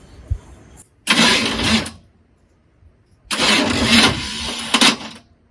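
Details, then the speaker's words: Cold Chevy squarebody truck cranked on a weak battery: two short, harsh whirring bursts of about a second each as the starter spins but lacks the power to fully engage the Bendix. Starter not engaging due to weak battery. "Yeah, I don't think it has enough power to engage the Bendix all the way."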